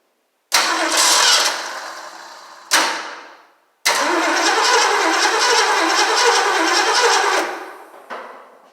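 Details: 1968 Ford Mustang Gold Nugget Special, first start during restoration: gas poured down the carb, battery hooked up, fuel fed by hose to the pump. Engine catches with a rough roar, fades and dies, catches again briefly then stalls; owner suspects losing spark or something wired wrong.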